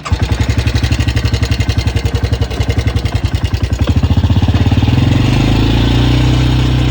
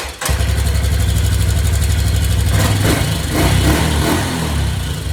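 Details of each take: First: 1986 Yamaha Big Bear 350 ATV after repairs: a single-cylinder thump at idle that blips up smoothly and settles, with an even beat. Normal running with no more grinding or crackling noise, though the carb might need tuning. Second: 1986 Yamaha Big Bear single-cylinder ATV, first run in a while after refilling fluids: it idles with a slightly uneven, wandering beat and a few blips. Carburetor needs adjustment.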